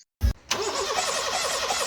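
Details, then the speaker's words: Gasoline car that had been stalling and starting hard, now not starting at all: short thump, then steady dry cranking with even whirring and no firing; crank no start, with ignition circuit and fuses checked next. "รถยนต์คันนี้มีอาการสตาร์ทแล้วดับบางครั้งก็สตาร์ทยากบางครั้งก็สตาร์ทไม่ติดแล้วตอนนี้ก็สตาร์ทไม่ติดเลย"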